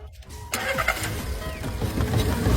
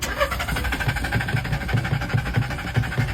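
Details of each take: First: Secondhand car that would not start at night but started by day, after repair: a brief crank, then the engine catches at once and rises into a steady, even run with no stumbling. A clean, healthy start, and the problem is solved. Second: Secondhand car that won't start at night but starts by day; throttle and nozzles cleaned, spark plug and pump already replaced without fixing it. At midnight the starter cranks steadily about five seconds without catching; cause unconfirmed.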